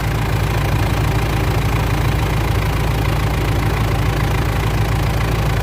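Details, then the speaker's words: Mitsubishi L200 Triton 3.2 diesel, cold idle after timing chain replacement for a noise heard when warm: steady, even diesel clatter with no chain rattle or slap; smooth, healthy normal idle. "barulho mais bonito. Zerou, pessoal. Zerou. Lindo esse barulho, hein? Lindo, lindo."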